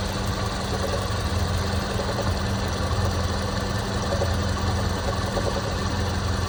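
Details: Toyota Prado 120 2.7 2TR-FE, rebuilt 30,000 km ago; intermittent faint regular tapping at idle. It came and went until oil pump, lifters, VVTi valve and tensioner were replaced; now constant when warm, oil pressure ~1.2; engine knock at idle.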